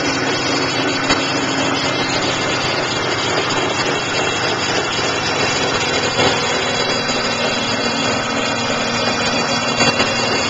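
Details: BMW Z3 Roadster 2.5L engine idling: steady idle with a busy, even whirring and hiss over it, no clear knock, loudest near the alternator; extraneous accessory-area noise, source undetermined.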